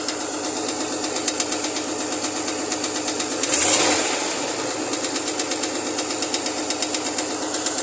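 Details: Chevrolet Lumina APV, 3.1 V6, cold engine at idle: sharp steady tapping at nearly three per second; engine knocks when cold.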